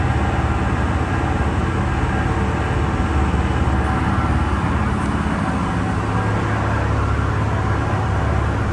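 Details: Diesel-driven fire sprinkler pump on its weekly half-hour test with the isolation valve closed: a steady, even diesel drone with a smooth low rumble and no knocks or misses; the engine is healthy.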